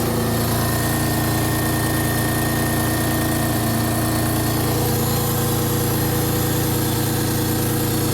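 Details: 1999 Honda Accord V6 with almost 280,000 miles, after fixing a two-week crank-no-start (immobilizer light now on, with power to the injectors and ignition coil). Smooth, even idle with a constant low hum and no misses or knocks, running on all cylinders.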